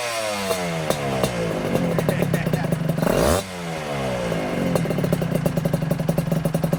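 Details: 1996 Honda Nova Dash 125 two-stroke with a newly fitted WRC full titanium exhaust, replacing a loud straight-through pipe. Crisp crackling idle with quick blips rising and falling cleanly, a bit loud; normal two-stroke idle and revving.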